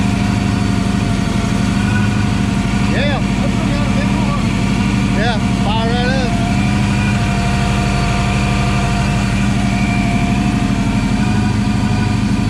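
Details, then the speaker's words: Supercharged Coyote-swapped Foxbody Mustang on E85 with 3-inch exhaust, first start: loud, lumpy V8 idle with an uneven beat and stumbles under a steady drone; a slight misfire, cause not confirmed. "misfiring a little bit just taking it over yeah yeah"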